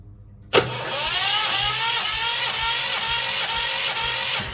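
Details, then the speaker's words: Sykes GP80 water pump with Lister TR1 diesel engine, bought cheap at auction, first start, battery 12.6 V: brief crank, catches at once, loud steady even beat, something rattling on the floor; normal start, charging rises to 14 V. "I'm actually over the moon with that albeit loud as something that I won't say um that was rattling on the floor which was making the whole building feel like it was moving"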